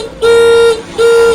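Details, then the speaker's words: Motorcycle with weak dry (maintenance-free) battery that won't crank the starter; two short flat half-second honks in one steady tone; thin, weak horn from low battery current. "Nah, jadi baterainya lemah saat kita starter, sama sekali tidak naik ya teman-teman. Nah, untuk di klakson juga"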